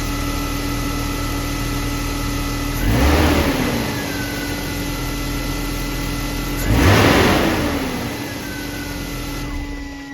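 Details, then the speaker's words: BMW E36 M3 inline-six after the loose spark plug was tightened: steady, even idle with two clean throttle blips, no ticking or thumping. The loose plug was the confirmed cause. "Alright, let's get the battery connected, start her up, see how she runs. Look at that, no more thumping."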